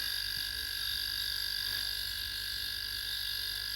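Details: Homemade air compressor, building tank pressure with the needle heading to 20 psi; steady even hum with a high whistling tone, no knocks or rattles; normal compressor running.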